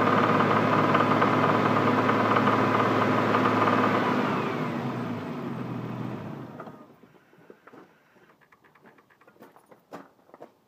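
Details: Toyota 7M-GTE rebuilt engine with 700 miles, at 2000 rpm: sharp steady tapping about four times a second until shutoff; owner asks if rod knock, cause unconfirmed.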